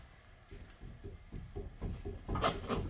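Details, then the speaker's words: Front safety inspection before a brake job: dull thumps each time the wheel is rocked by hand, a loose knock from play in the lower ball joint at the bottom of the suspension, not the tie rod end. "thumping ok now that thumping right now is coming from the bald right on the bottom of the vehicle here"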